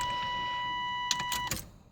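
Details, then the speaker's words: 1989 Chevy S10, 4.3 TBI, with a low-rpm shudder and suspected fuel in the oil. At key-on the electric fuel pump whines about a second and a half then cuts off cleanly; injectors not leaking; normal prime. "okay you can hear the pump going and it just shut off and I've checked it doesn't seem like the injectors are leaking when I do that so"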